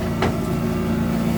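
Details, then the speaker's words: Boat's ITR Hurricane Zephyr diesel heating furnace just fired up for the first time: steady low hum with a constant burner roar, no surging or popping; running fine. "So the furnace is just fired up. Let's go and have a look at it."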